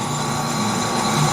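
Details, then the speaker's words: Lathe facing the blade hub of a rebuilt brush hog shaft, next ten-thousandths cut: smooth, even cutting hiss with steady tone and no chatter; the nice steady sound wanted, cutting into good material. "this is the next ten thousands in and see how it's smooth now so you know you're probably down to good material at least out here"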